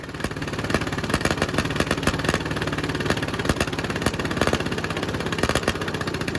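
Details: 1951 Caterpillar D8 2U dozer, sitting since 1990, big diesel freed after being stuck, first run on its own power: steady, even chug with strong regular firing pulses, no misses or knocks. Running cleanly.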